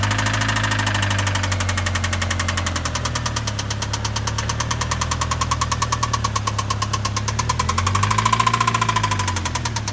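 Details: Mazda Miata petrol engine idling: fast, hard metallic knock keeping pace with engine speed, rod knock; a rod bearing had entirely disappeared on teardown.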